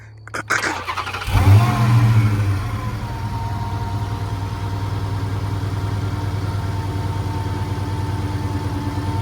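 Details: Dodge Hellcat Redeye, supercharged, owner suspects fuel pump: low uneven wavering idle, sounds like it will die; trouble starts when it drops to idle. Rough idle before stalling.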